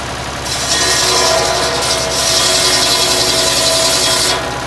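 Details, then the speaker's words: Vintage E.S Hindley cast PTO saw bench driven by a Ford 4000 tractor, unused for years, test-cutting small wood with a badly blunt blade: harsh rasping, dragging cut over the saw's hum, though it still cuts; owner considers sharpening the blade. "now that is not too bad considering the the blade is in such bad shape personally I would I'll call that a success"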